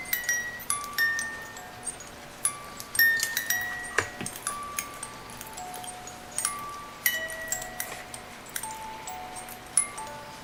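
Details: 1950s Reuge singing-bird ballerina alarm clock music box, just oiled and wound. A bright plucked comb tune plays at an even tempo with no dragging, buzzing or skipped notes; the movement works properly.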